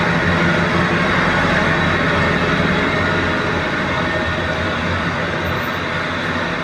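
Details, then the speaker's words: 2007 Chevy Silverado 2500HD LBZ Duramax diesel, cat and muffler restored in place of a straight pipe. Even, low idle rumble with a muted, steady exhaust and no ticks or knocks. Much quieter and healthy. "much quieter we'll have to do some pull tests show you the difference when it's toner trailer and definitely quieter I was waiting for it to be loud and then it wasn't loud"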